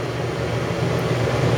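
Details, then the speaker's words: RV rooftop air conditioner fan only on high, drawing about 360 W: steady, even rush of air with a low constant hum, no rattles or pulsing; the fan runs normally. "You're looking at like 360 watts just for fan."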